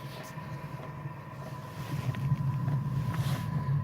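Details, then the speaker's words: Chinese diesel heater on its first start, not yet installed, cover still on top: low hum with soft fuel-pump ticking growing louder and faster, like a plane on the runway building to full speed; normal startup ramp-up. "So it's getting faster and faster at the minute. We shall revisit. So rather like a plane on the runway. It's now building up to full speed."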